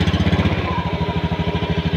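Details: Honda Scoopy (ACG starter) scooter after cleaning the rusted side-stand switch that caused hard starting: quick, even single-cylinder putter, steady firing, no misses or knocks; running normally.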